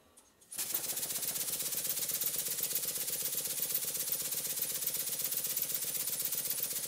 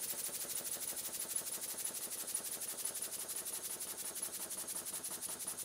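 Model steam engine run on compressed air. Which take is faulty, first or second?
second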